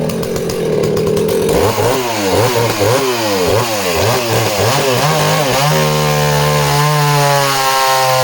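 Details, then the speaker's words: Danarm 36 "hot rod" chainsaw with stainless steel exhaust, cutting wood: revs rise and dip then hold a clean high scream without stumbling; intermittent off-load misfire disappears under load, strong running. "even with that uh intermittent misfire when she's kind of offload the minute the engine's loaded up the misfire seems to disappear that's really interesting as well"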